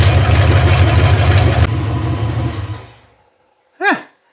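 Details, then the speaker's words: 360 Magnum V8 on a run stand, first start, initial timing set to 13° BTDC: deep, steady burble with even beat and no misses or knocks before shutdown; running healthy despite coolant and freeze plug leaks. "so after playing with the timing a bit she's at 13° before top dead center now for initial timing and I'm all right with that sounds like she's running good"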